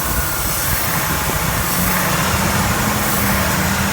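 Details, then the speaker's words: Donated truck at a salvage yard, idling with a little throttle held, possibly still cool; rough, uneven idle under a loud, steady airy hiss, probably a vacuum leak, a known problem on these trucks. "these trucks get very bad vacuum leaks oh my god you can just hear the back you move here in this road yeah Wow a loud one so it's probably a vacuum issue"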